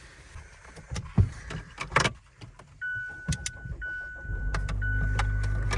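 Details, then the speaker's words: 2019 Mazda CX-5 that had refused to start after two hours parked, keyless system malfunction; door clatter, chime, then the engine catches and settles to a steady idle, normal start after charging with a power pack. "starts up like there's no problem so strange well that's good"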